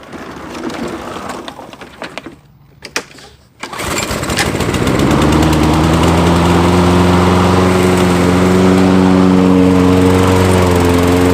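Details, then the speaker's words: Nearly new Toro mower with electric start, found discarded, on ethanol-free fuel with Sea Foam and a newly installed air filter. It catches after a few pulls and settles into a smooth, even drone with no surging. Normal running. "i'm happy when things work out got a free mower and it starts and the electric start works as well"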